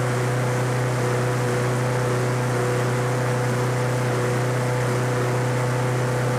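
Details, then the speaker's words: Lawn Boy 21-inch self-propelled walk-behind mower, found discarded by the roadside and given fresh gas; the owner felt little compression on the pull. It starts and holds a steady, even single-cylinder drone with no stumbling or surging: normal running. "that's interesting like i say this is out on the side of the road with the trash and it runs"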